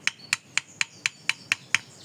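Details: Yamaha Mio Sporty scooter, engine off: eight sharp metallic ticks about four per second; loose knocking from a damaged steering stem, to be replaced and fitted at a machine shop.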